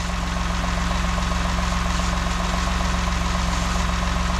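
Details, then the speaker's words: 2018 Ford F-150 XLT after MagnaFlow catalytic converter replacement, engine started: smooth, even V8 idle with no exhaust ticking; cam sensors audible, cams slightly out of phase; no exhaust leaks, the seal is good. "I don't hear any exhaust leaks. There's no ticket take it."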